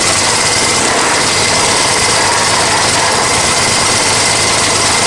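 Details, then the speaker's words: Honda EX1000 generator after carb cleaning, choke off, air filter off, powering a heater on full high near its limit: small engine drones with a strained, flat, bogged-down note, struggling but coping; owner says it's only running at half throttle. Engine labouring under heavy load. "So I need to find out why it's only running at half throttle. It is struggling, but it is doing it."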